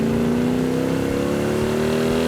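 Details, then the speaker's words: Restored 1967 Hemi GTX convertible 4-speed, dual quads, on test drive: deep clean exhaust note climbing smoothly in pitch as it pulls hard, lots of torque, no misfire or rattle, said to sound better than factory. Normal exhaust note under acceleration. "You There's know, nothing like the torque of that thing when those dual quads open up. You can hear it. yeah. You can hear it coming down the road. That is one snarler of an engine."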